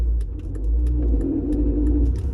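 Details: Volvo V60 Ocean Race Edition driving, slowing down into first gear: low engine rumble with a few sharp metallic knocks on engagement, also noticed going from first to second. Failing dual-mass flywheel knock.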